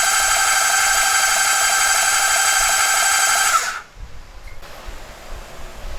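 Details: 1978 Kawasaki Z1-R, freshly rebuilt engine, cranking with spark plugs out to circulate oil, good spark and timing: even fast starter whir at about four pulses a second, stopping cleanly; normal starter cranking.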